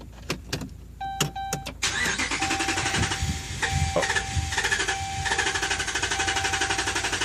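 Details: 2011 Ram 5.7 Hemi, 74,500 miles, usually needs four or five tries to start: sharp clicks and a chime, short crank, then the V8 catches; intermittent no-start traced to a faulty TIPM, replaced under warranty.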